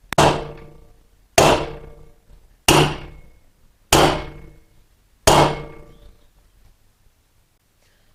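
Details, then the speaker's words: Motorcycle wheel bearing being tapped into the greased wheel with a bearing tool: five sharp ringing hammer blows, driven until the tone changes to show the bearing is seated. "get the bearing tool and begin tapping it down until you hear the tone change as we did on the other side"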